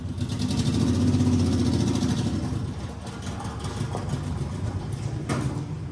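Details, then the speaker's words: 1981 Chevy LUV four-cylinder, revived after sitting 23 years, after carburetor rebuild, muffler not yet clamped: rough revving that settles into a steady, even idle with no knocks or misses; carburetor was the fault; normal running. "Damn, son. That's all it was. Carburetor. Yes. Damn, that sounded good, too."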